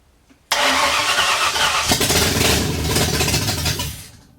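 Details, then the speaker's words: 1964 Ford F100 with salvaged roller-cam 302 V8 from a 90s LTD, first run after sitting since the 1990s, open headers, in garage: sharp catch then loud raw rumble for about three seconds; runs well, timing still slightly out. "I'm happy it sounds good I think uh I think I'm going to leave it at that until I get find neutral and you know get some exhaust on it cuz yeah small space it's it's really loud"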